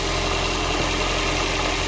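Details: Toyota Prius after jump start with booster packs: short steady hum of the petrol engine at idle, smooth and even without knocks or stumbles; running normally.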